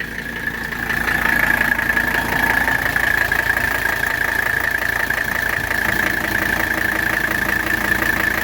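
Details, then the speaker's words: 1985 Mercedes 300SD diesel, cold engine just started after glow plugs: steady, even idle clatter with no misses or knocks, good oil pressure, barely any blow-by at the oil cap; healthy engine. "fires right up we have good oil pressure it literally takes about half a spin of the engine to fire up"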